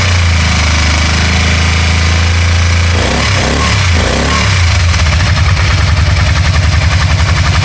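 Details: 2012 Can-Am Spyder RT-L 990: deep throbbing run with uneven, stumbling pulses breaking the rhythm around the middle, a misfire that later cleared up by itself; cause unknown.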